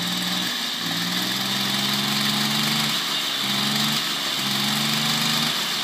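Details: 1972 Motobécane 40V moped, barn-find, first start after thorough cleaning and engine overhaul: buzzy two-stroke note holding an even idle with a few brief throttle dips; it keeps running without stalling.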